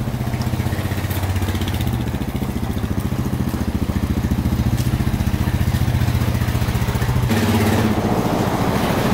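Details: 1999 Honda Foreman 450 4x4 ATV with plow, revived after sitting about 10 years: even, steady single-cylinder idle thump, about four pulses a second, no misses or rattles, no smoke out the back; normal idle.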